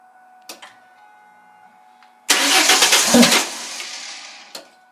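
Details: 2000 Ford Mustang 3.8 with new plugs, wires and battery, audible fuel pump, no codes and fuel-wet black plugs: after cranking, a short sputter that dies within about two seconds; it coughs but never runs. Cause unknown.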